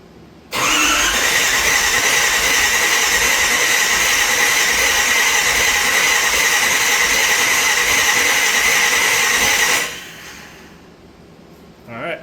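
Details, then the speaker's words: Big-block Chevy, sat unrun for a couple of years, cranked without firing to build oil pressure: steady, even starter whir and cranking beat, turns freely with no binding or knock; oil pressure came up quickly. "sounds decent. Oil pressure came up real quick."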